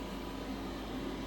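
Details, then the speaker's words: Chinese diesel air heater installed in Sprinter van after cutting out the part that blocked fuel suction; soft steady hum with even fan whoosh, no surging or popping; burning and running normally after fix. "So I just cut it out and just connected the diesel just like I did on my first contraption, and now it's working fine."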